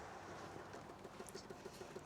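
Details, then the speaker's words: MGB that wouldn't start: electric fuel pump ticking fast and evenly, about seven per second, while refilling empty carburetor float chambers; ticking should slow or stop once full. "It's just busy filling up the float chambers cuz they were all empty. Oh, brilliant. Oh, that's good. That explains why it wasn't starting. So, the ticking should slow down or stop when it's full."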